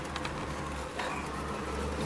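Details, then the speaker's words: 1985 Oldsmobile Delta 88 Custom Cruiser 5.0 V8 idling after the power-steering belt, which shared a pulley with the alternator belt and squealed, was removed; steady even rumble with no belt squeal or chirp, alternator belt running alone. "you could do it with the alternator only you see I don't hear no squeeze no more"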